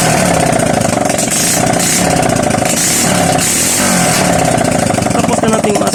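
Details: Honda XRM 125 after a connecting rod overhaul, kick-started: a steady, even single-cylinder idle with a quick regular beat and no metallic knocking; the bottom end now sounds healthy.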